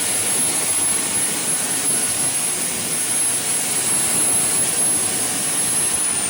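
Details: 2010 Camaro jet car, Boeing T50 turbine with 700R4 transmission, in park, no throttle: steady very high whistle over smooth rushing roar, no surging or rubbing; stable normal idle.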